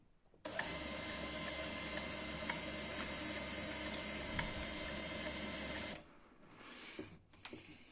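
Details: Canon i-SENSYS MF4410 printer after replacing failed DC 24V main motor RM1-7624 that would not start: even mechanical whir with light rhythmic clicking for about five seconds, stops cleanly; drive motor runs smoothly, normal operation.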